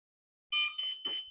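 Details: Flywing Bell 206 V3 RC helicopter controller, GPS unlocking in flight being investigated: three quick high chirps in about a second over silence; owner unsure of its meaning, thinks it may say to disconnect the battery.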